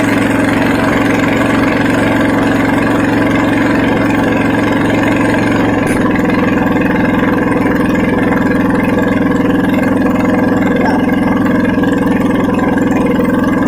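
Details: Honda GX240 petrol stationary engine, hard to start after days unused, now restarted and running without its muffler: loud, steady open-exhaust drone at constant speed with no misses or knocks; running evenly.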